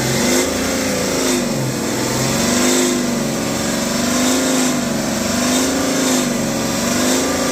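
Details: BMW X5 40d (N57) revving: loud droning resonating/vibration-like noise around 3000 rpm that swells and falls; heat shields and loose parts checked, no fault codes, present since previous owner, source unknown.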